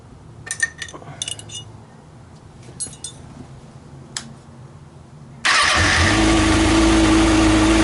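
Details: 2013 Kawasaki Ninja ZX-6R (636) after valve clearance check and adjustment, aftermarket manual cam chain tensioner fitted: catches at once, settles to steady even idle, smooth hum, no ticking; normal.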